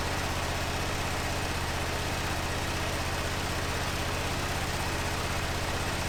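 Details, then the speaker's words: 2005 Honda TRX650 Rincon, 650cc single four-stroke, revived non-runner, cold on choke in neutral: an even single-cylinder putter at about four beats a second with no misses or knocks. The idle is clean, and the carb may need slight tuning. "oh sounds pretty good huh need to let it warm up"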